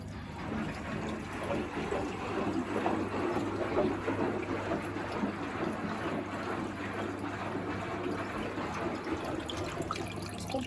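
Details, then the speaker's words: Miele WS5073 professional sluice washing machine, commercial sluice drain swapped for a domestic Miele drain pump: steady low pump hum under gurgling water rush as it starts pumping out the filled drum; new drain pump working properly. "it's still filling with water like it's right up on the door there looks dry Bene oh now it's pumping"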